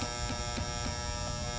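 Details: 2012 Carrier heat pump condenser not cooling; after power restored and reversing valve clicks, contactor pulls in with constant electrical buzz and steady low hum, unit draws heavy inrush but runs; contactor still buzzing, cause unclear.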